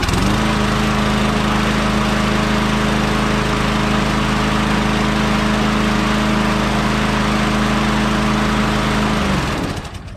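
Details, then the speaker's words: Troy-Bilt/MTD lawn vacuum chipper with 5 hp Tecumseh single-cylinder, auto choke, cold start two days after a Seafoam soak, still smoking from Seafoam; steady even buzz about nine seconds, no misses or surging, then shuts off: normal running. "you can see it's still smoking because it's got some seafoam still in it"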